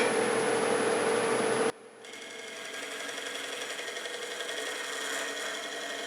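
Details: Walnut chip-and-dip bowl on the lathe: high, steady whine over the cutting noise, dropping away as the tool lifts; the thinning bowl wall vibrates, less bad than some earlier cuts, wall and bottom thickness being checked.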